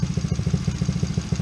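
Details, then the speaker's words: Coolster 110cc ATV single-cylinder after a new spark plug, idle screw being adjusted (counterclockwise slows, clockwise speeds up): fast, regular putter about eight to nine beats a second, revved above normal idle; idle set high. "You see how it slows down. If you turn it counterclockwise, and then you can turn it clockwise to speed it up some."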